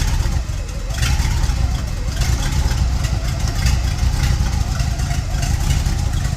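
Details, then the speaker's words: 1930 Ford Model A with 283 small-block Chevy V8 and Borg-Warner T10, sat about 50 years, exhaust appears junkyard-built: deep, even burble at idle, smooth and very quiet, no knocks or ticks; normal idle. "Super quiet. Super quiet."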